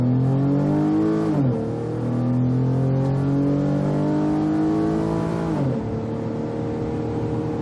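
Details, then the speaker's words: 2011 Ford Edge Limited, 3.5 Duratec V6 with 330,000 miles, after front-end engine rebuild, road test with TI-VCT verified: hard acceleration up to 70 mph, note climbing smoothly and dipping cleanly at upshifts, no knock or stumble; normal acceleration. "wow up to 70. running good"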